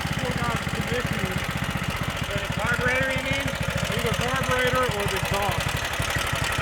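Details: Stage 2 Predator 420cc single on a Polaris ATV, rebuilt after muddy water ingestion (rings cleaned, valves lapped, headwork): even, steady idle thump with no knocks or misses; running fine, a touch rich, needle adjusted but needs leaning out.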